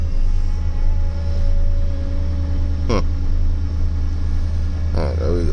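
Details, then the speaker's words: Truck cold start early morning after a snow storm: deep steady rumble with brief sweeping chirps rising and falling in pitch, also when returning the steering wheel; owner suspects power steering, not confirmed. "oh what is that sound that doesn't sound very good first time I've had that"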